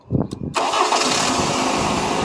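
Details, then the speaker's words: 2000 Toyota Camry, previously no crank no start: a few cranking pulses then fires into a steady, even idle; normal cranking and start after replacing a blown 30-amp fuse. "देखिए दोस्तों बहुत ही आसानी बहुत ही आसान था यहां का 30 ampere का फ्यूज खराब था"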